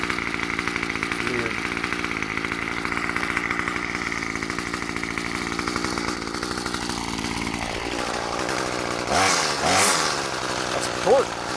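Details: Murray M2500 bent-shaft two-stroke weed trimmer, curbside find, cutting: high-revving buzz holding speed steadily without bogging, then throttle blips; it runs fine.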